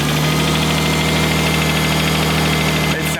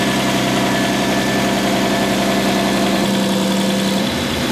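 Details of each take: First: RB25DET swapped into a Nissan R33, holding operating temperature: loud steady even idle with constant low drone, no knocks or ticks; idling smoothly. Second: RB25DET-swapped Nissan R33 first run after engine swap, warm at operating temperature: steady idle with light uneven ticking from the head, hydraulic lifters still bleeding down, quieter than the day before; expected to clear with revs and load.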